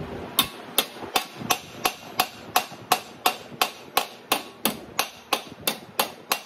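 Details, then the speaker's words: Hammer on dolly while forming a 1941 Chevy truck lower rear-window repair panel: sharp ringing strikes about three per second, evenly paced. The clean ring shows the flange is being stretched properly. "Hammer I want to hear that that strike sound because that tells me that I'm stretching and you can see how it's starting to come around"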